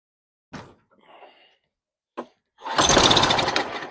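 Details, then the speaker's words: Mower with bone-dry tank: two pull-cord tugs, engine catches and revs roughly about a second then dies; owner suspects it needs carb cleaning or just fuel. "Sounds like it may need a carb clean, but yet we got a bone dry tank, so maybe it would start with gas."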